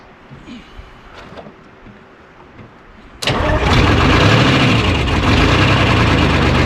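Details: 1975 International Loadstar 1850, Detroit 6V53 two-stroke diesel, first start after fuel-line work, idle set high, no coolant in it: quiet, then catches into loud lumpy idle with uneven beat about three per second, heavy miss; owner suspects air in fuel or real issue; oil pressure about 65 psi.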